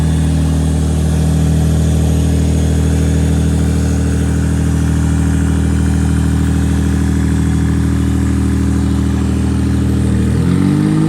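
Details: Rear-wheel-drive Honda Civic race car after its slow-cranking starter problem was solved: steady, even idle with a smooth low rumble and no knocks or misses, then a brief blip of revs. Normal idle.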